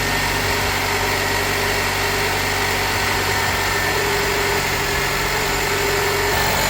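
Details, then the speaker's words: Nissan Qashqai after an engine replacement (the original engine had run out of oil, was making a loud noise and missing); first start shows an even, steady idle with no knocks, ticks or hunting. Normal idle. "Nevertheless, let's start it up and see how everything goes. That's what we like to hear when we finish an engine change."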